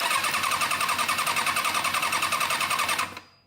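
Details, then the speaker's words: 2005 Kawasaki ZX-6R running on three cylinders; plug held against ground while cranking gives crisp, regular spark snaps about 3.5 per second, showing this ignition coil works; all four coils tested good. Healthy ignition spark. "Die krijgt dus een vonk Dat stelt mij gerust dat deze bobbine nog zijn ding doet"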